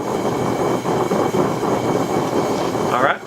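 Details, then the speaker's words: Bullseye forge burner just lit, cold combustion chamber: loud steady roar with soft uneven huffing pulses, normal until the chamber warms. "you may hear her huffing just a little bit. They're not necessarily cold nature, but it does take just a minute for the combustion chamber to warm up."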